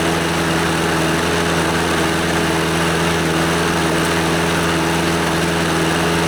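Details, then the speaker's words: Scotts lawnmower, Briggs & Stratton 6.5 HP OHV Intek Edge engine, after carburetor and fuel-system cleaning and a new NGK BKR5E spark plug: steady, even drone with no misses or surging; it runs pretty good. "yeah it seems to run pretty good"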